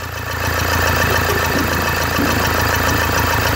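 Steady, even diesel clatter at idle with a low hum and no misses or stumbles; this engine is running healthy.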